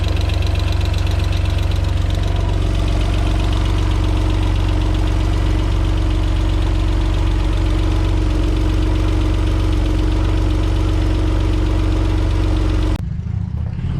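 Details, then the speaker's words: Alfa Romeo 147 GTA first start after engine install, primed with ignition disconnected; even idle with light quick ticking about three a second, noisy hydraulic tappets on first start. "Oh, ce son! Oh, mais ce son! Ah, on entend bien les petits poussoirs là."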